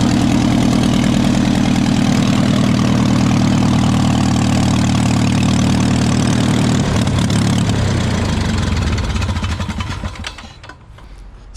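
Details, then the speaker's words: Engine on a $175 airboat, started by spinning the prop, running after the carburetor was cleaned of old gas: a steady, even drone with a clean firing rhythm, then a smooth wind-down at shutdown. It now starts really easy. "yeah as you guys saw it runs here I'm gonna start it up once again actually starts really easy now after got it to run"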